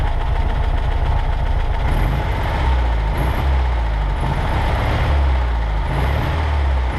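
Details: 1963 Volkswagen Karmann Ghia air-cooled engine, first run in over 10 years after parts replaced: even low rumble with slight swells in speed, no misses or knocks; normal running.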